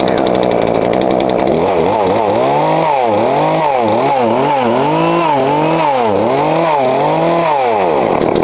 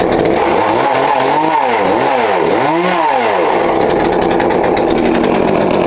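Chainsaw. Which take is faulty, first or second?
first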